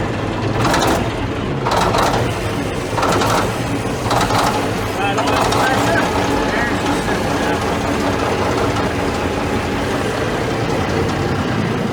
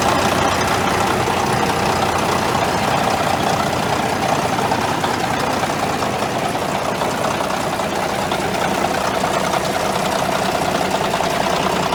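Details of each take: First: Caterpillar D9G dozer, sitting about ten years, cranked after the 24 V glow plugs and hand primer: slow, labored cranking of about one heavy chug per second, then it catches and rumbles on unevenly. Starts after long storage. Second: Caterpillar D9G dozer, sat for years, started with 24-volt glow plugs after hand priming: deep, even diesel idle at about three beats per second with a steady clatter, holding speed. Normal diesel idle.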